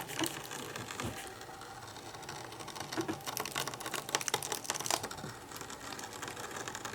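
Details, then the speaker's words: Brother ScanNCut cutting machine cutting heavy crepe paper, settings unchanged: irregular sharp clacks and smacks over a soft motor whir, bunched midway through the pass; loud clacking during the cut, cause unknown. "Listen to that noise it's making. Holy cow smacks. What is that awful noise? Good God, Gertie. That just sounds awful."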